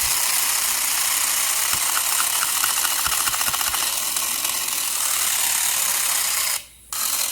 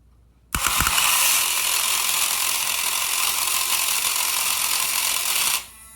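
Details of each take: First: Electron Robot toy gearbox running while the housing is flexed out of alignment, believed to cause the gears to sometimes lock up: high whirring gear buzz with a quick rattling tick that changes tone as the case flexes; gear grinding from the misaligned housing. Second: Electron Robot toy gear pack at about 3 volts, shifting from one gear drive to the other to switch from spinning the body to moving the legs: fast, buzzy high-pitched gear whir for about five seconds, then it stops; normal gear drive operation.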